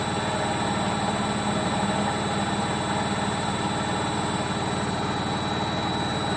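Loud, even roar during the fast spin with a coarse low rumble running under it; points to worn drum bearings. Cause suspected, not confirmed.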